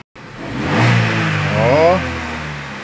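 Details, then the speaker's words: Chevrolet Cruze after repair of its misfire and programming: two clean revs sweeping smoothly up and down with no stumble or popping; now running clean without misfiring. "vamos a partir de agora né ok ele pega liso sem falhar sem nada"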